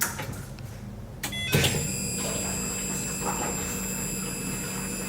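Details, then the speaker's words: Turbo LS-swapped Nissan G35 with dual 450 fuel pumps (almost 10 gallons a minute): after a clunk, a steady high-pitched whine over a low hum as the pumps prime; normal fuel pump whine. "Fuel system's crazy. It is dual 450, so they accumulate to almost 10 gallons a minute. Damn. Here. You can hear these bad girls"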